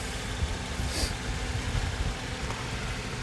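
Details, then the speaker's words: Joy Tutus 26qt 12V portable fridge, freshly cleaned, interior about 40-something degrees F: even, steady low compressor hum with no knocks or rattles; running normally. "but it's it's running consistently right now obviously it's 40 something degrees because it hasn't been on and i cleaned it out to do this video"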